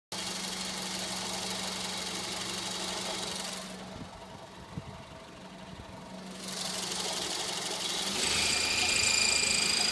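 Quick, high-pitched chirps repeat about four times a second over the running engine; a chirp from the engine bay, source not yet pinned down.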